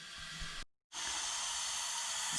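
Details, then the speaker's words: Nissan GQ Patrol's Barra engine, unknown history, cylinder leak test during reassembly after new stem seals, springs and retainers: loud continuous hiss of escaping air from cylinder 5; leaking valve seats, possibly carbon, head going to machine shop. "cylinder 5 has a massive leak you can probably hear it"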